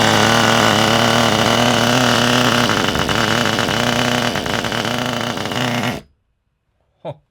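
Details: Kyosho nitro RC car with GX12 engine, first start in a long time with fresh glow starter: buzzy high-revving engine wavers and burbles unevenly for several seconds then cuts out; owner thinks it runs a bit rich, unconfirmed; uneven running.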